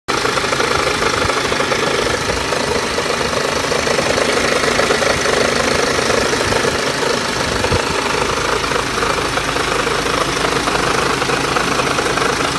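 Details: BMW X1 23d, N47S D20 diesel, strange running at low rpm: rapid, uneven knocking rattles through the low-rev clatter, irregular rather than a clean beat; cause unknown, owner asks what it could be.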